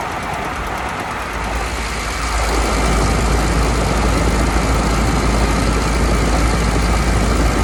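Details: Dodge Caravan / Chrysler Town & Country, phone taped to the exhaust flex pipe after the catalytic converter while driving: harsh, steady gravelly grind that swells as the van moves, from a worn flex pipe rattling in its braid.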